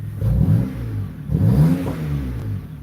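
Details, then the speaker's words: 2008 BMW 328i after alternator replacement, idling with the air filter removed: smooth even rumble, idle slightly high, possibly because the filter is out. Tach steady; it runs smoothly. "Yeah, it sounds good. It's running smooth."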